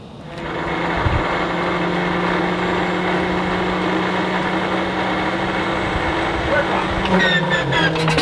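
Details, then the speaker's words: Stinson L-1 radial aircraft engine, after distributor/magneto timing rework following a year of not starting or running smoothly: clean catch, then smooth steady even hum with no misses; runs great on the right magneto, normal idle. "runs great on the right Meg"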